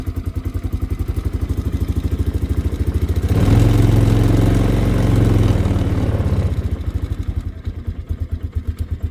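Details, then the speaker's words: 2002 Polaris Sportsman 500 H.O. ATV four-stroke, cold start on a cold day after a week sitting, choke used, in gear: brief hesitation then even regular idle thump, smooth climb on revs; runs normally. "sounds like she wants to I don't know why no she's good now bit panicky on a cold day but I mean every old four stroke is like that"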